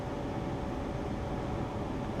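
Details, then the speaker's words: Modern gas furnace after igniter replacement, cover back on and switched on: low smooth steady fan rumble, no rattle, squeal or scrape; fans running normally. "We turned it on. We can hear the fans working."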